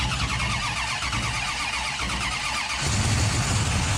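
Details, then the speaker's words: 1968 Dodge Charger Hemi, possibly miswired: starter grinds steadily about three seconds then rougher cranking without catching; later found idling with a large vacuum leak, possibly running lean. "if you hook up the right wires it might actually start right nope"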